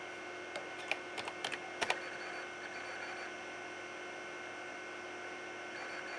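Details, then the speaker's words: Old-school computer hard disk recorded with the camera right beside the drive during a disk-intensive operation: a cluster of sharp irregular clicks and chatter over a steady electrical hum, then quiet; normal head seeking. "an ending to the video for those who really really want to hear that old school hard dis noise"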